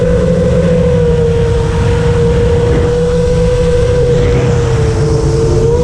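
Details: FR7 FPV quad after tuning with D-min removed, Iterm relax cutoff 10, RPM filter on: smooth steady whine rising and dipping slightly with throttle, no rasp or grit that D-min had caused; motors healthy.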